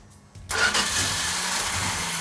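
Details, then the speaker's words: Engine cranked over on the starter but not firing, with an even whirring crank and no cylinders catching; no fuel in it yet, cranking to build fuel. Cold day. ">> Hey, Mark. It's not firing. Well, there's no fuel in it. It's I was just going to crank it and let it build the fuel."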